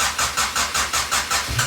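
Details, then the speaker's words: Built turbo H22 in a 1992 Honda Accord, first start: the engine races above a normal idle with an even pulsing about five times a second; high idle, a vacuum leak is suspected but none has been found. "um but now we're just getting high rev like there's a vacuum leak but also can't find the vacuum leak so um just some more troubleshooting that i have to do"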